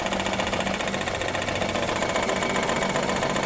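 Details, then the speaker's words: Maruti Suzuki WagonR K-series with check engine light on, also consuming oil, possibly overheating: rough uneven idle stumbling about four times a second, engine vibrating badly; one cylinder not working, causing a misfire, and the vibration makes the engine mounting noise. "तो दोस्तों यहां देख सकते हैं गाड़ी का engine भी vibration कर रहा है बहुत [संगीत] ही बहुत ही बुरी तरीके से और"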